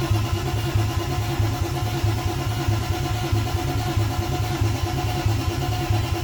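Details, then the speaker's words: BMW E36 2.8L with ZF 5-speed, first start after engine and gearbox refit, fuel tank emptied: steady rhythmic cranking, about 1.5 beats per second, never fires. Cause was fuel feed and return lines swapped. "so figure out the fuel problem um a few lines were the wrong way around so feed and return were mixed up"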